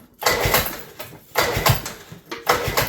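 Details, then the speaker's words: 1976 Johnson snowmobile, junkyard revival on mixed fuel, pull-starting with short rope stroke: three attempts about a second apart, each a few sharp pops without catching; engine fires weakly and won't start. "can hear it popping a little bit."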